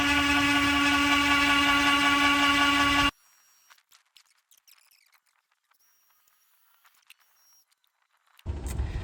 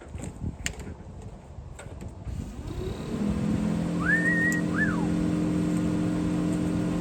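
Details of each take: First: 1969 International Scout 800 heater blower motor running free on the bench after oiling gives a loud, steady buzzy hum, then stops; noisy and vibrating, owner thinks the motor is just bad. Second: 1969 International Harvester Scout 800 heater blower motor after fix: blower spins up smooth and steady, even hum with no rattle or vibration. Vibration previously present in-vehicle was cured with penetrating oil and Blaster; owner unsure how long the fix lasts.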